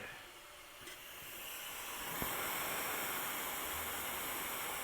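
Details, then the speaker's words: Caterpillar C15 air-to-air aftercooler plugged and pressure-tested to 30 psi: steady airy hiss builds and holds as air escapes through many leaks, pressure dropping fast; core full of holes, replaced with a new one. "okay here we go kids we're gonna go to 30 psi and then I'll let you listen to all the hissing if you can't hear it already see you're dropping like a rocket"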